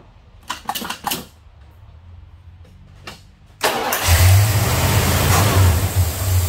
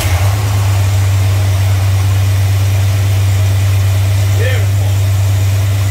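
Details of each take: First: Plymouth, cold start: catches, then runs unevenly for about four seconds before dying; rough running traced to the unplugged brake booster vacuum line. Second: Plymouth idling after distributor cap work: steady, even low rumble with no misses; normal idle.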